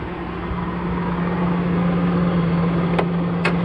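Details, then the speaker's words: Quadrasteer truck with Magnuson supercharger: low steady engine drone with faint constant supercharger whistle. Normal supercharger whine. "this truck also comes with something else that I've never had before it is it has a Magnuson supercharger you can hear it whistling a little bit"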